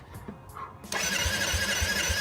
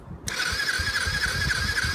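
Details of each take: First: 1986 Yamaha quad, engine just unstuck, new fully charged battery, fresh fuel in cleaned tank: starter spins at a steady quick chug about four beats a second, cranks but won't start; owner suspects the carburettor, unused for years. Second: Yamaha quad project, previously stuck engine freed with oil, spark plugs in, no fuel yet: starter whine with even exhaust puffs about four a second while cranking; exhaust valve and compression appear to be working.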